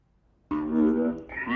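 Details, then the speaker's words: BrandNewNoise synth toy after potentiometer knob removal: clean warbling synth tones start abruptly, then a second voice bends smoothly upward with no crackle or dropout; working properly. "so we see that it is working properly"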